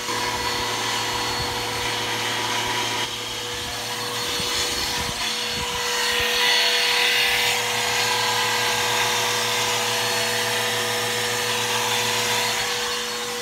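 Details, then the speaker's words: Bissell Powerforce Helix 1240 vacuum running on carpet: a thin, steady whine over the airflow hiss from worn brush roll bearings, not the motor; the brush roll needs replacing soon. "like I said the brush or is going to need to be placed really really soon uh you can hear the bearings are going out in it um not the motor the brush roll um the bearings are out in the brush roll so the brush roll need to be replaced soon"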